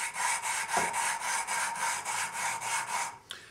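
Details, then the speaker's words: 1974 Honda CB750 rebuild, valve lapping by hand with fresh grinding compound on the seat: rhythmic back-and-forth rasping about four strokes a second, coarse and gritty; compound still cutting, tap to bring more in when it smooths out. "spin it to spread the spread the compound around you can hear it's real gritty oh"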